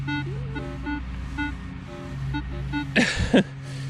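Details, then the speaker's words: Minelab Equinox 800 in multi-frequency mode on clean ground: constant choppy tones, warbles and chirps over a low drone, far noisier than 10 kHz mode; owner wonders if the machine is faulty. Ground noise chatter. "So I don't know if my machine is just faulty, but my multi... Can you hear how noisy that is?"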